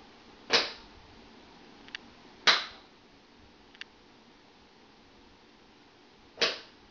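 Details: Contactor on a practice board wired like an air-conditioning unit, switched by a low-voltage control circuit to light a lamp. Three sharp clacks about two seconds apart with faint ticks between as the lamp is turned off; it drops out cleanly, as it should.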